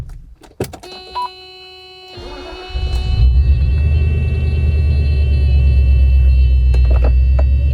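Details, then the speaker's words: 1989 Mercedes-Benz W126 420SEL V8 bought as-is: starter whirs, then a deep, steady rumble at idle, far louder than it should be; loud exhaust, source not yet found. "now I'm going to start this car up you're going to hear it Rumble it's kind of loud exhaust"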